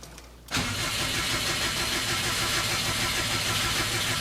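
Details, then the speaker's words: Freshly rebuilt Subaru engine after its first oil change at about 50 miles: cranked with clutch and gas pedal floored so ignition is cut, steady no-fire cranking to prime the oil pump and fill the new filter. Normal priming crank. "So go in there, push the gas down, push the clutch down, try and start the car. It'll kill the ignition timing. It won't start. So it'll just run the oil pump to get oil pressure up."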